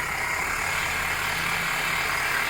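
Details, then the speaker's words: Worn belt tensioner pulley bearing, heard through a long screwdriver touching the pulley at idle: a steady, hissy dry whir over a quiet idle. The engine has an aftermarket ignition coil swapped in and oil leaks at the valve cover. "I'm just touching the uh the tensioner pulley and let me touch the uh the rod how noisy it is"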